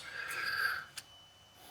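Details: 2005 Volvo V70, front anti-roll bar link worked by hand in a quiet workshop: two sharp dry clicks about a second apart; worn, loose link causing front-end knocking over bumps and manhole covers, to be replaced.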